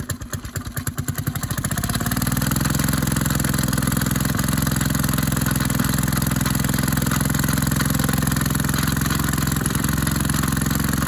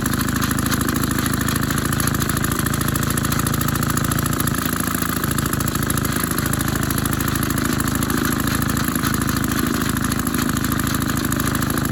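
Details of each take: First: Maytag 72 twin-cylinder engine driving a power hacksaw, pulley changed from 4 to 5 in, one cylinder more worn, was flooded: slow uneven firing picks up to a fast, steady beat; idle speed too high, adjustable via plug screw. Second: Maytag 72 engine driving a power hacksaw, one cylinder more worn, pulley changed from 4 to 5 inch, adjusted to lower rpm: an even, fast popping beat near 200 firings a minute holds steady. Normal low-rpm running.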